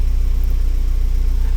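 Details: 2010 Hyundai Getz at idle, engine speed reading about 880 rpm on the scan tool after a no-start with no fault codes; the crank angle sensor is working. Smooth, even low idle with regular firing pulses, no misfire or rattle: normal, healthy idle.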